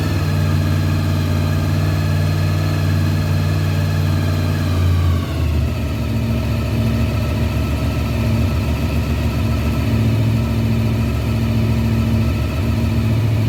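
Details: 1993 Honda VFR750F, carbs cleaned, first start after sitting over a year: engine catches and settles into a steady, even idle with a smooth low hum, no knocks or stumbles, checked for leaks; normal idle.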